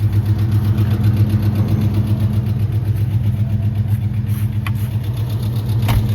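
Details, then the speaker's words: Engine at idle with pressure still good, light regular tick near four per second; ticking slows as it runs and is heard when taking off or stopping, owner suspects an oil issue, unconfirmed. "Ticking's starting to get a lot slower. It might be an oil thing, but I know when you take off, you hear that, or when you stop, you can hear that little ticking, and then it goes away."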